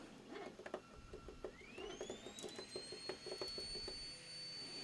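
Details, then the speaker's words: Anet A8 3D printer running: a thin whistle rises sharply to a steady high dental-drill tone over stepper clicks; fan shroud whistle. "there there's that Dental drill sound I don't know if you guys can hear it"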